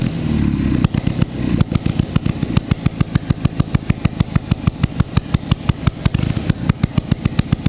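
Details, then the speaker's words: Panhard first start: sharp, evenly spaced firing pulses about six a second, loud and uneven underneath; engine hunts and revs up by itself, engine revving on its own. "γιατί κάνει όταν μαρσάρει μαρσάρει και από μόνη της"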